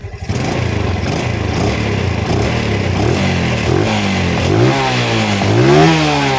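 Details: Small Yamaha motorcycle engine (Vega/Jupiter/Mio type) after valve clearance adjustment by running method, idle set to about 1200 RPM; clean throttle blips rise and fall smoothly with no ticking or clatter, valves properly set.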